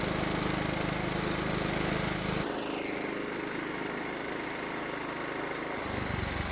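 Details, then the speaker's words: John Deere riding mower engine after carburetor reinstalled; previously ran only when mostly choked. Now runs steadily in run position, drops to a smooth slower idle, then picks up again without stalling: problem fixed. "so it started in the choke position and stayed running in the run position and it even idled for us that means we fixed the problem"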